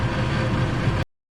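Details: Furnace after replacing a seized draft inducer motor, completing its cycle and producing heat; steady, even low hum and airflow rush with no rattles or scraping. Normal furnace operation.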